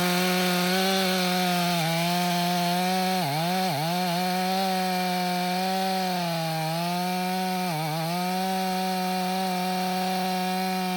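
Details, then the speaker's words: Stihl MS 500i chainsaw, 62 hours, warm, after fuel pump repair (stale fuel from sitting), freshly sharpened chain in frozen wood: steady high two-stroke wail sags briefly as the chain bites, then recovers cleanly with no stumbling; healthy under load. "I think we got her. That saw didn't give me one hiccup outside this time. It runs excellent."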